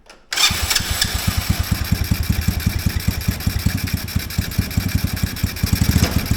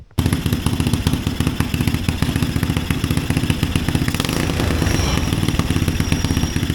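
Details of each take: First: Mini Willys-style Jeep with small Chinese engine, while adjusting the idle screw: idle surges up and down with pulsing loudness instead of settling; suspected sticking, gummed-up carburetor slide and ports. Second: Mini Willys-style Jeep with Chinese single-cylinder engine after carburetor replacement: steady, even chugging beat with no stumbles or backfires; running properly again.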